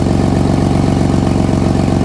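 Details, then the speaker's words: Nissan Skyline R33 RB25DET at idle after a power steering hose fix and bleed: a rapid, sharp puffing tick in time with the firing is the exhaust leak, with no noise from the pump. "We've heard no noise from the power steering pump. All the noise is coming from the bloody exhaust leak."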